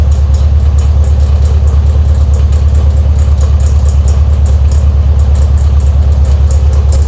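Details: Air-cooled VW Beetle Type 1 at idle. Loud steady idle with a regular pulse about three times a second; noise near the alternator pulley, owner suspects an eccentric pulley.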